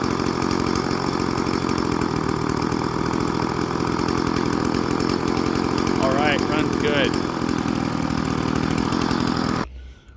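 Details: Old Stihl FS 36 string trimmer, sat 2+ years, after new clear primer bulb and carburetor tune-up: small two-stroke buzzes at steady, even idle without hunting or dying out, then shuts off; normal idle.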